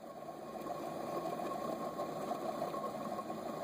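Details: 2006 Dodge Ram 1500 5.7L V8 during water pump replacement, idler pulley spun by hand: dry, gritty whir and steady hum; bearing worn out.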